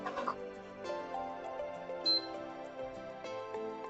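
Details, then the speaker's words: PS5 Slim at power-on: one short high beep, then no lights and no start; fault traced to the south bridge, fixed by reballing. "Beeps. No lights, not powering up."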